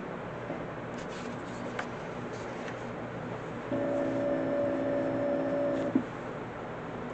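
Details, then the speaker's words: Atari 410 Program Recorder with new belts, loading a program into an Atari 800: low hiss, then a few seconds of steady warbling data tones stopping cleanly; loading normally. "you hear one note that tells you to push the play then push that and then it will play it and as it finds this data I'm just looking to see it when it finds the data it will start making noise you'll hear the data being loaded"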